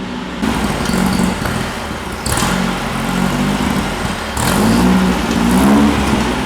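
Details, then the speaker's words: VW air-cooled Baja bug engine on a dyno with no idle jet, after much screw-turning: engine surges and sags, pitch wandering instead of holding steady; rough running from a missing carburetor idle jet, carb needs dialing in. "I think we're gonna probably, because we were turning so many screws, We're probably gonna have to go in and dial in the carb."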